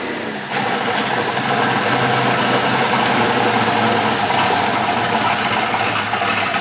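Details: Polaris RZR with a swapped-in Yamaha Nytro snowmobile triple-cylinder engine, running after its fuel issue was sorted; more sensors still to be added for optimal horsepower. Steady, dense, even mechanical note, no knocks or misses; normal running.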